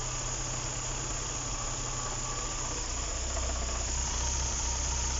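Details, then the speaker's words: Engine idling in neutral on a car with unknown history: thin whirring squeal over the idle that goes away with the clutch pressed, so it is in the gearbox; suspected worn bearing or low gearbox oil, not confirmed. "stress, that's in the gearbox. If you step on the clutch, that sound will go away. Which confirms either your bearing is out, which you play out, or the gearbox is dry, meaning there's very little oil in it."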